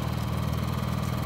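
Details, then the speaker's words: Honda EU7000is inverter generator powering the house and a 2-ton central air conditioner: smooth, steady low hum at constant speed, no surging, knocks or rattles; runs nice and quiet, normal under load. "really nice unit when I have a former just wheel it out and it runs through nice and quiet"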